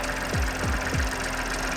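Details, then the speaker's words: Ford Fiesta Sport at an auction inspection, idling a little rough, heard under the hood; lumpy three-cylinder idle with a dull thump and rattle about three times a second; engine mount doing nothing is blamed; coil pack screws found loose. "i can see what the rattling problem is this engine mount's doing nothing"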